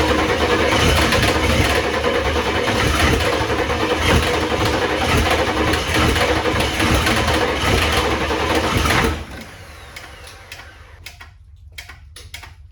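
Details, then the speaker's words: 1994 Ford F-250 IDI diesel first start after sitting years, no antifreeze: loud rapid chuffing puffs about three per second over rough idle until shutdown; owner suspects cracked exhaust manifold on one side, huge leak. "Holy crap, she runs. It's got a huge manifold leak. I think it's got a cracked manifold on this side."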